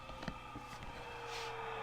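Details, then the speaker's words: 75-year-old Signal Corps BC348Q tube receiver first power-up after removing power supply electrolytic caps, B+ dropped from 329 to about 195 volts; steady low hum with faint whistles and hiss at 120 volts line, working. "It's making noise at only 120 volts."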